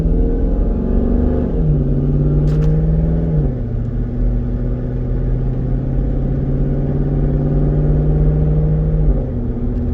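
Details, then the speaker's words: 2012 Jeep Grand Cherokee SRT-8, 6.4L HEMI V8, 98k miles, accelerating with clean upshifts, no slip, flare or clunk; normal automatic transmission shifting. "Transmission is fine. Everything works exactly like it should."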